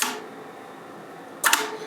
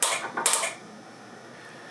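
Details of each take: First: Flex Radio 6600M station with a relay board controlling the tuner. Crisp clicks and a quick double clack over quiet room hiss as relays switch automatically when changing bands; normal, clean relay switching. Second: Flex Radio 6600M station, faulty relay board on power-up. Sharp dry clicks in small bursts, about four in three seconds, as relays chatter when power is applied and the radio comes up; sometimes it briefly cuts power off and on.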